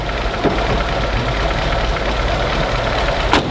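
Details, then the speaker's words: 1976 BMW 2002 barn find first start after about 20 years idle, with oil drained, carbs cleaned and rotten fuel lines replaced: steady, even idle with consistent low rumble and a couple of stray clicks; runs smoothly and quietly. "that runs good so quiet"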